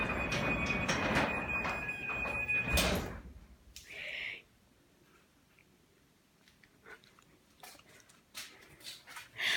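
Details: New Craftsman belt-drive garage door opener, installed the day before: smooth, even whir for a few seconds as it runs the door, then quiet; normal healthy operation.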